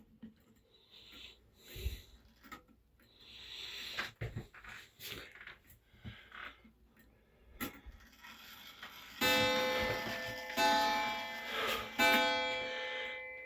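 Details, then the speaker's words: Repaired circa-1920 Sessions Mission-style clock with a spring-driven movement, hung in a bathroom. After quiet ticking come three clear gong strikes about a second apart, each fading evenly; healthy striking. "Apologize for the noise. I'm running out of space to hang my clocks. So I got this in my upstairs bathroom. Turn off this light so you can hear the gong."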